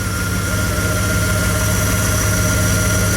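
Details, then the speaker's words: Truck with 327 engine at idle: thin constant whine above the rumble, sounds like the power steering pump moaning; owner suspects low power steering fluid though it was full days earlier. "well now it does sound like it's low"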